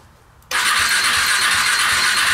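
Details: KTM Duke 125 that stopped running and starts hard: starter spins the engine with a steady churning hiss but it never catches; spark present, fault near the high-tension lead.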